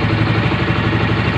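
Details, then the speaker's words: Yamaha Mio M3 125 scooter after repair of a knocking engine (engine oil had run out), connecting rod still about 50% worn: steady, even low putter at idle with no knocks or rattles, about 80-90% smoother; rear wheel wobble noted. "Nah, intinya di bagian mesinnya perubahan sudah jauh, 80-90% sudah halusan."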